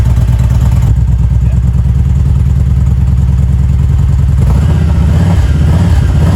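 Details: 2016 Kawasaki Vulcan 1700 V-twin after oil change and grip swap: deep, loping idle that picks up cleanly on throttle blips and settles back evenly; normal running.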